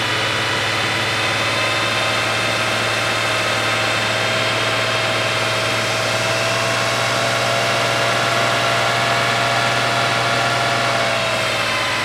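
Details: Porsche 911 Carrera first start after an engine rebuild, once the crank and mark sensors were swapped: a loping idle with a regular stumble, not running on all cylinders. The number 5 injector does not click on a stethoscope; it is clogged.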